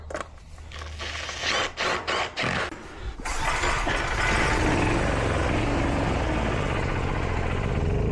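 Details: Portable generator small engine after carburetor cleaning: a few rough pull-start strokes, then catches and settles into a steady even run without stumbling; normal start.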